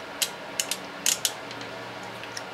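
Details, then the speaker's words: Small five-pin 30 A automotive relay on a 12 V DC supply, trigger coil terminals 85 and 86 energized: crisp, light clicks in pairs and short bursts as the contact pulls in and drops out; normal, healthy relay switching. "and if you listen closely you can hear the contact wire being pulled in a place and dropped out of place same thing than this five pin"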